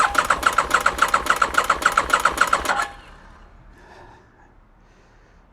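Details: 2001 Aprilia RST 1000 Futura during rebuild, in neutral with a little petrol and fuel pump heard priming: steady starter cranking about three and a half turns per second with no firing; cranks but won't start, cause unknown.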